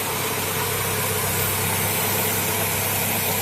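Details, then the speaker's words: Chevrolet Corsa 1.0 16V back running calm at idle after belt and tensioner bearing replacement; steady idle under a loud, even, unchanging hiss as air is drawn in through an intake leak, location not yet found. "Maintenant c'est calme, entrée d'air,"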